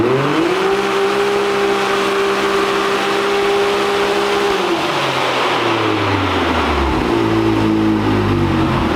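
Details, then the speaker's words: 2022 Can-Am X3 on dyno, 93 octane, about 19 psi boost, stock clutch, belt warming: under load the engine note flares and holds one flat pitch, then sags; CVT belt slipping at the start of the pull. "I mean, it's pretty good right now, but it's just slipping on the beginning. Just slipping in the beginning."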